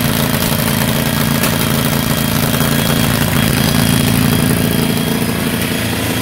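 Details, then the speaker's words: Andover V32 twin-cylinder APU (B29 bomber), magneto ignition, updraft carburetor fed by a temporary electric pump since the diaphragm pump failed: a steady, slightly ragged putter; owner suspects it runs lean (no high-speed mixture screw), uneven running. "it sounds like it runs a little lean in there there's no high speed mixture screw in the future I may end up drilling out those Jets a little bit but we'll see"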